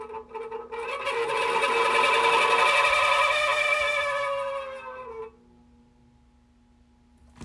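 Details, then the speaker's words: Fan with dry front motor bearing, before oiling: steady, high-pitched squeal rides over the fan's whir for several seconds, then dies away; owner says the bearings are dry and need oil, and front-bearing oiling is planned. Dry fan motor bearing squeal. "the bearings are dry and needs oil you never want to run a fan too long like this because that can mess up the"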